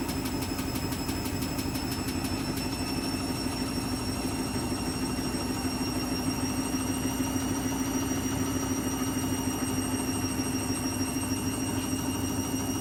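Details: Washing machine spin cycle at constant speed: steady droning hum with a faint high whine; noisy spin, cause suspected but not confirmed.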